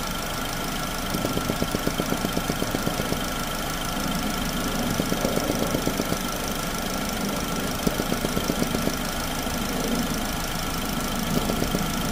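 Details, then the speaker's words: 2009 Chevy Cobalt with 370,513 miles, warmed up, with the vapor canister purge valve line removed for testing: quick steady ticking about four times a second over a smooth idle. The purge valve is kicking on and working normally. "And when you first start it up, you shouldn't feel a vacuum until it warms up for a few minutes. Now you can hear it. Hear it kicking on."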